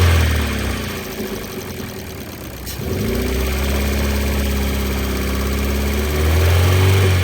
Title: Ford focus 2012 1.6 petrol ticking noise and vibration when idle, also got loss of power